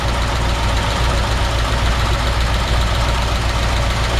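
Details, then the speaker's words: 1953 Ford F-100 flathead V8 idling slightly cold with choke pulled, maybe a touch over-choked and idling a hair high, hood open: deep, steady, even rumble with no misses or knocks; healthy idle. "Nice healthy sounding flathead V8. And it was a little cold. I pulled the choke. So, maybe a touch over choked right now or over over uh There we go. over idled just a hair."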